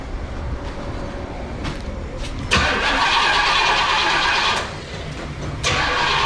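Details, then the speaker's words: Barn-find 1971 Pontiac Formula, first start after purchase and trailering home: cranks and catches with a sharp roar, then settles into a fairly even, throaty idle with a brief blip; seems to idle nice, normal start. "So it seems to idle nice. So I can't wait to see how it drives."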